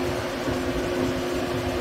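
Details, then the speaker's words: 1978 Cutlass Supreme with a new Cold Case aluminum dual-fan radiator, engine off and ignition on. Steady, even whooshing roar of the electric cooling fans with no engine underneath: the fans are running normally. "so with the engine off and the ignition on the fans are still going to run as you can hear"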